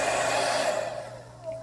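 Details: GAMA hair dryer that had stopped working, tested after repair and reassembly with temperature settings 1, 2, 3 and cooler all working: an even airy blower rush that tails off as it is switched down, with no rattle or grinding. Normal running.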